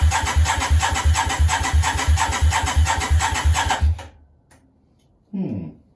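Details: Yamaha Virago 535 project with rebuilt manifold, start attempt: starter cranking about three turns a second for four seconds, never catching; spark present earlier, strong fuel smell, possibly flooded, unconfirmed.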